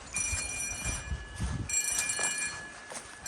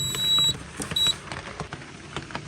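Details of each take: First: Bell on a Cyton CB1 conventional fire alarm panel system with Hochiki smoke detectors, sounding during a monthly test walk-around: a steady, faint metallic ring with bright tones under outside noise, not the loudest but working normally. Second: Cyton CB1 conventional fire alarm panel beeping with a high, thin repeating electronic tone after a Menvir call point test and reset, over clicks and handling noise; the panel is flagging an unresolved earth fault.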